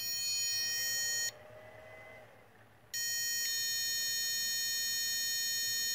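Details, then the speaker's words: Homemade D-cell Maxwell Boostcap supercapacitor pack, about 4 years old, powering an inverter: a shrill, steady electronic warning beep, a long beep then a brief pause, at 10.1 V low input voltage, before shutdown near 9.9 V. "you should hear the inverter beeping due to the low voltage and I'm gonna keep it going until it shuts up there you go that's the warning you got ten point one volts"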